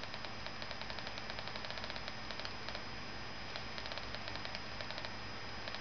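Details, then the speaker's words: Samsung 2493HM LCD monitor, power cord only, when its fluorescent backlight fails to light at switch-on: faint, irregular crackling pops from the lower right corner, suspected electrical arcing, which then stop. "didn't turn on now I can hear the popping sound popping sound stopped"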